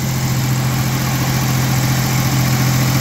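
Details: 1989 V6 Mitsubishi Pajero idling after Australian-made stainless extractors and new exhaust studs replaced cracked, warped stock manifold: steady even idle, smooth low beat, no ticking or puffing; manifold leak fixed.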